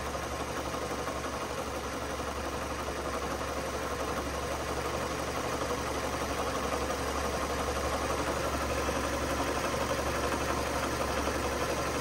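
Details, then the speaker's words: Ford Ka with failed gearbox and slipping clutch, stuck in first gear; faint rattly whirr under a steady idle from the gearbox, where excess shaft play lets oil seep past the seal; gearbox and clutch to be replaced. "can you hear the can you hear that noise that's the clutch in the in the um the gearbox"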